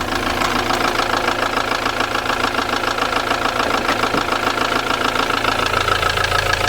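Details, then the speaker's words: Ford Transit Mk7 diesel van idling after topping up oil: a steady, fairly light top-end knock at about three to four beats per second, much reduced from before. It still taps, with some black smoke. Cause suspected (oil starvation), not confirmed. "Listen to that now. She's knocking off as not half as bad as what she was. Surprised what a bit of oil does."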